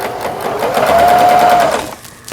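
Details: Kenmore 110V household sewing machine, made in Taiwan, after repair including replaced 110V pin-type bulb: fast even mechanical chatter while stitching, brief stop and restart with no grinding; forward/reverse stitch length working normally.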